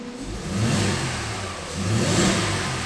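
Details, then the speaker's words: 2008 Mercedes-Benz E280 after misfire repair, live misfire counts on all cylinders now zero, plugs checked and kept, injectors the fix; engine revs smoothly through two blips, steady even note without stumbles; normal revving. "una belleza quedó serenito"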